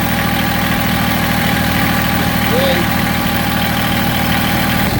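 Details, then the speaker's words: Massey Ferguson GC1710 sub-compact tractor diesel, cold, idled down: uneven, lumpy beat about three pulses a second, heavy vibration, loss of power; rough idle, owner suspects a cylinder misfiring or not firing. "now I idle it down and you can see how rough I mean I I can't I wish I could show you how much this knob is moving but it's bouncing tremendously everything is just everything's shaking tremendous"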